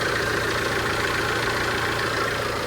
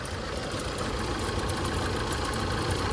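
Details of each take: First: Tata Safari Storme diesel idling quietly and evenly after repair; the chattering "chan chan" noise from the front of the engine that several mechanics could not fix is gone, with the AC compressor confirmed fine. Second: Tata Safari Storme diesel at idle, heard from inside the cabin: a fast, uneven chattering rattle, about four beats a second, over the diesel clatter; points to a worn alternator bearing.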